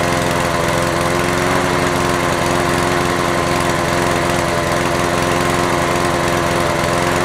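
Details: Honda HR17 mower's single-cylinder engine running fast and even with a steady buzzing drone, no misses, after a no-start on return to service; runs properly, though leaking fuel suggests a dead carburettor bowl gasket.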